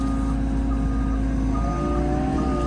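Steady regular beeping over a loud diesel idle, a working reverse alarm sounding as the machine backs up.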